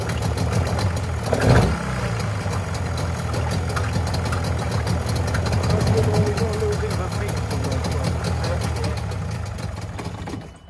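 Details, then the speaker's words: Mariner 30hp outboard on an abandoned boat, air box removed, broken cable fixed with a cable tie, slight petrol leak: steady, even idle with no knocks or misses, then clean shutdown. Normal idle. "we have actually got a little bit of a petrol leg but that sounds beautiful that little engine sounds perfect doesn't it"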